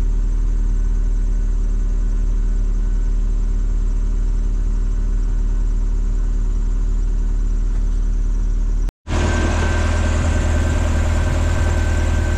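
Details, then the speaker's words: Lotus Elise after tightening a loose auxiliary belt that squealed on start, under tray off: restart with deep, steady idle, no chirp or squeal; belt runs quiet, though the fault was intermittent. "I'm going to start it up um the thing with this is it doesn't always do it so if it doesn't do it then I'll just keep an eye on it but I presume that's going to sort it out now cuz it's better than it was"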